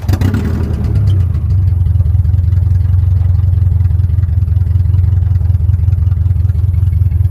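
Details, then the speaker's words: 1996-2000 Honda Prelude just revived from no-crank, no-start: low, lumpy, uneven idle shaking instead of running smooth because one spark plug wire was left off, leaving a dead cylinder misfire. "Oh, I took the wire off. I took the spark plug wire off. I was wondering why it was sounding like that."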